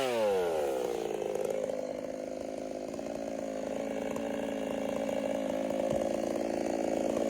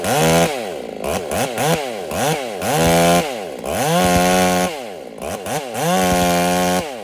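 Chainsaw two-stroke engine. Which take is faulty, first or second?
second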